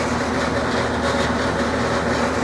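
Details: Older Rheem AC condenser running: steady electrical hum with rough airy whir; suspected worn fan motor bearings; blade replaced, motor left in place.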